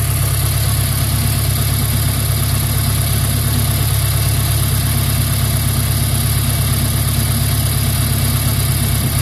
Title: Renault 2001 F4R misfire